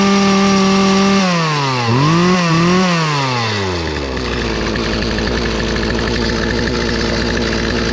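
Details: Free Poulan 2450 chainsaw, 2.3 cu in, 18" bar, restarted; the owner suspected an earlier noise came from the recoil or bearings. It screams at high revs, takes a couple of throttle dips, then drops to a smooth, even idle with no rattle. Normal running.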